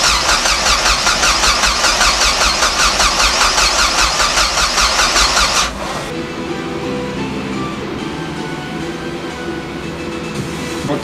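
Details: Car after rebuild, first start attempt, PCM runs fuel pump and fuel pressure holds: strong, even starter cranking about two or three pulses a second, never fires; cranks no start, ignition run/start circuit from PCM not wired.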